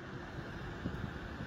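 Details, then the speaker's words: Sharp 100V tower air purifier in humidifying mode, fan raised to a higher power level: a steady, even rush of air that blows stronger, with no rattles or ticks. It runs normally at high speed. "Đấy, các bạn nghe thì đã thấy tiếng quạt nó thổi mạnh hơn nhé."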